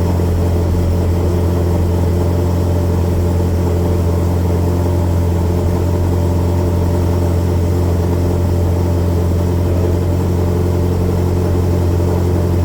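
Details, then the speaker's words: V8 with Ghost Cam idle tune after dyno work, idling cold while logging for tuner: deep even rumble at steady fast cold idle, no lope or stumble; chop not yet audible; normal cold idle. "yeah I don't really hear the the choppy chop yet but I guess we'll see he said this may or may not work"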